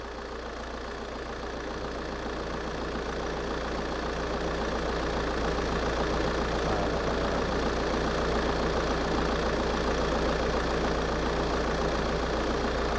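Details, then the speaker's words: 2011 Vauxhall/Opel Insignia 2.0 diesel with overboost/underboost codes P0234 and P0299 (no power), idling. The idle is really rough, pulsing unevenly about three or four times a second over a steady drone; cause unconfirmed. "I don't know if you can hear but the engine is kind of really rough idling"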